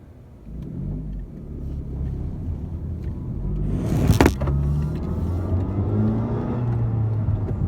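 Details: 2017 Honda Civic Si: no whine or buzz at normal revs at rest, but pulling away gives engine drone with a faint whine rising in pitch with speed, heard most after first and second gear; owner says it is not the intake.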